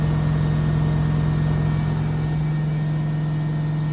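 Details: Blomberg washing machine during the spin: loud deep drone with a fast, fairly even knock about three a second from the drum, worsening over time; owner suspects the left shock absorber and plans to replace it.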